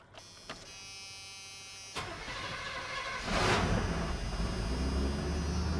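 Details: 1986 Chevy K10 short bed pickup V8, started after sitting for years: starter cranks briefly, engine catches and settles into steady, even deep idle; good healthy start, no fuel leaks.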